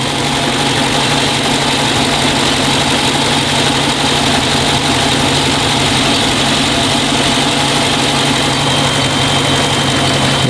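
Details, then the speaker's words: Dodge Charger Scat Pack HEMI V8 at idle, recorded close with a large microphone after a suspected HEMI tick: smooth even idle with steady hiss and hum, no regular ticking heard; owner thinks it's fine. "don't think it I don't think it's ticking well you tell me no I think we're good"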